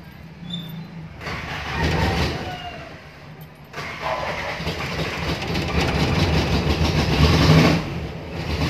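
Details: Toyota Tamaraw FX gas engine after a cranking no-start, battery charged and yellow wire moved to restore ignition coil power: two short cranking bursts, then it catches and settles into an even run with rising revs. Normal start after the repair.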